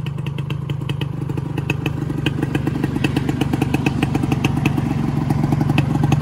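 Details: Yamaha 125Z two-stroke on the road, first run after engine rebuild (damaged conrod addressed, magneto checked), stock exhaust: crisp even buzz pulling, no rumble or clatter when throttle closes; normal running.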